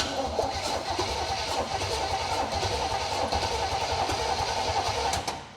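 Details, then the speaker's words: 1964 Chevelle El Camino that had been sitting for years, with water suspected in the cylinders and the plugs left in, cranked after an oil change and before the coil wire was connected; the starter spins it steadily at about three turns a second, not seized. "Not too bad. Still turns over. That's a win."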